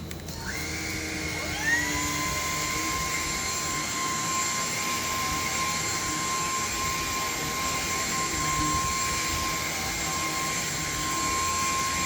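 Motor spins up quickly to a steady, high, even whine and holds it without wavering; healthy cordless vacuum running normally.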